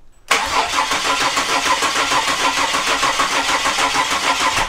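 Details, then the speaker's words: Ford EF Falcon with swapped Barra turbo engine, first start attempt: starter spins the engine at an even chugging rhythm, about two beats a second, never catches or fires; cranks but will not start, turbo cap possibly left on. "hmm it should at least sputtle nothing hmm did you take the cap off the Turbo too"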